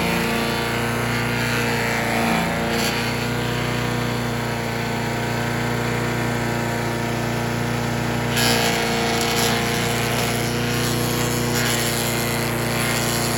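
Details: Troy-Bilt chipper/shredder, rough after carburetor reassembly but now running great, chipping branches on the second day: steady high drone with branches crackling through, dipping slightly and recovering; normal running under load. Owner suspects rocks damaged the blades.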